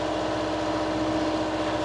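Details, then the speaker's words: Reefer (trailer refrigeration) diesel unit idling after setpoint change, C2 about 8 and C1 at 4; steady, even diesel hum at constant pitch, no knocks or surges, normal idle. "hãy tắt nó đi vì tôi đã tạo ra đủ tiếng ồn rồi, hãy hy vọng nó được nghe thấy vì với tiếng ồn mà nó tạo ra,"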